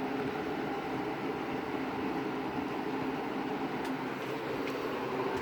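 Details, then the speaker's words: 20-inch Lakewood model S223 second-generation box fan, bearings apparently oiled at some point: steady even whoosh of air with low hum, no ticking, scraping or wobble; runs quietly and normally. "aside from that grill it sounds like it runs nice quietly the bearings on this are very nice - I think it was oiled at some time in its life"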